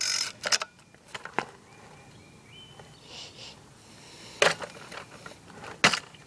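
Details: Echo SRM-210 trimmer on fresh two-stroke mix, starter spray used: a few quick rasping pull-cord attempts, never fires; afterward the spark plug is wet, compression about 150, stop leads already checked; cranks but will not start.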